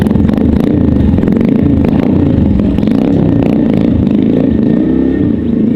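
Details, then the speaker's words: Honda Monkey single running with a strong, even thump and deep burble, no ticks or rattles, after fitting a polished stainless Kruesi stealth head pipe and muffler; sounds clean. "This thing sounds good. Clean. I thought it was tackling for sure. I'm real satisfied."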